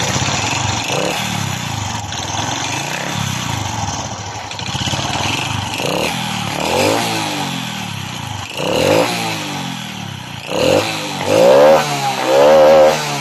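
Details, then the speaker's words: Honda RS 125 Fi single-cylinder engine, owner reports knocking inside: hard metallic clatter that gets louder with each throttle blip, diagnosed as piston slap before teardown. "So ibig sabihin ang problema meron ang kanyang makina guys ay piston slap so kailangan natin bunutin ang kanyang piston para makita natin ng malapitan ang sitwasyon ng kanyang piston"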